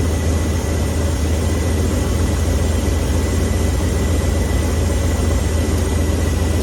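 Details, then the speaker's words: V8 truck idling with a Holley 4412S two-barrel carburetor during idle mixture adjustment: steady low idle with a faint bobble when the air screw is turned in; rough idle stumble, screw backed off until it stops. "We go in a little bit. Did you hear it bobble? Back it off till it stops."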